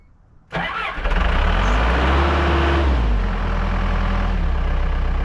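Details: Kobelco SK120LC excavator diesel, started by sending 24 V from a power probe straight to the ignition because of a wiring fault: a brief crank, then a steady, even idle with no misses or knocks. Normal start and idle.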